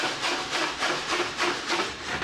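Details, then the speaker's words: BMW motorcycle, first crank after work: harsh scraping grind pulsing about twice a second from the starter; starter and left footpeg plate removed to inspect, alignment pins missing. "that is horrendous holy balls oh my god not cool looks like it's gonna blow up that's not cool"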